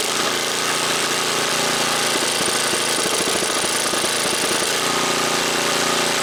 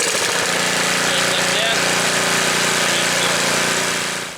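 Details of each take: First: Snapper snowblower, first start after sitting a month: small single buzz, then beat turns uneven and lumpy with choke fully on; stumbling from over-choking. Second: Snapper snowblower, first start before winter, pull-cord start while warm: small single-cylinder engine runs a quick, steady, even chatter with no misses or knocks; normal running.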